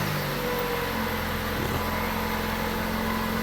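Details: 2013 Chrysler 200, about 170,000 miles, idling after a cold snap, droning hum and faint whirring from the front accessory belt, worse cold; noisy alternator overrunning clutch pulley, located with stethoscope and pulse sensor.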